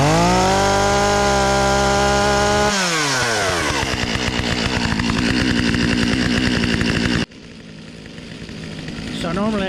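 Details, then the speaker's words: Stihl chainsaw, unused about a year, cold-started after choke cycling; fires and holds a high steady buzz on half choke, then drops to an even burbling idle while warming a few minutes; normal cold-start idle. "But let them idle a few minutes, and then you can cut them off and they'll start pretty easily the rest of the day."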